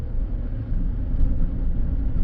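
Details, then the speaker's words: 2015 Chevy Silverado High Country crew cab with check-engine light and limp mode, driving uphill under load: violent shudder jarring the whole truck, low uneven surging rumble with RPM hunting, smooths out off throttle; cause unconfirmed. "whoa there it's violent I don't know if you can hear it and feel it but it's like it's jarring the whole truck and then it Smooths out once I let go of it"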